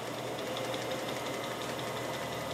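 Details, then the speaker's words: Atlas 618 lathe running on orange belts: a soft steady whir with a faint light tick about six times a second, a whisper-quiet, normally running belt drive. "I really like these orange belts they are absolutely nice and whisper quiet"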